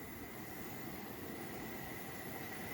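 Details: Gas burner after cleaning the air tubes, the tube running underneath and the burner plates: steady, even flame roar with no chuffing or pulsing; the chuffing problem is eliminated and the burner runs normally.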